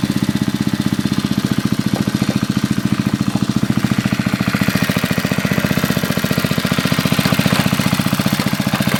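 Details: 1981 Briggs and Stratton single-cylinder on a garden tiller, after a carburetor rebuild, air cleaner off: steady, even putter at constant speed with no misses, knocks or hunting. Runs clean and healthy.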